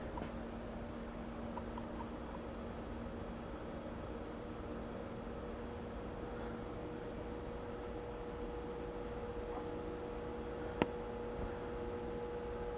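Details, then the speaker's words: Safer-made Airmaster industrial ceiling fan, revived after stiff bearings and a blown capacitor, turning slowly on low through a solid-state speed control at about 0.19 A. Quiet, steady hum with a buzzing tone. Motor buzz from the solid-state control; varnishing the windings is suggested as the fix. "Oh yeah, it's definitely a loud buzzing on low here with the solid state. And I've been told the best thing to do to get rid of that kind of buzz is to varnish the windings."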